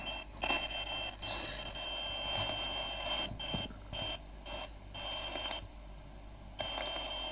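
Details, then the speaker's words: CB radio on 27.615 with intermittent receive, before repair: a steady tone with hiss keeps dropping out and returning at random; the antenna socket ground on the back of the SR-239 board is found unattached. Intermittent receive from a loose antenna ground. "and ah look at that the ground is not attached uh-huh but here's what the problem is"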